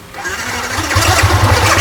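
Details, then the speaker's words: Yamaha R15 motorcycle, 26,000 km: engine starts and runs while a harsh rattling grind continues, as the starter keeps turning after the button is released; cause suspected, not confirmed. "Ah dia bunyi dia. Walaupun kita dah start, dia still start tau. Masih berjalan. Starter tu masih bergerak."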